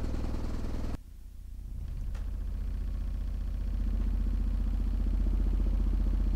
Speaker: I so now that the subwoofer is working fine free air let's get it inside its box and see how it performs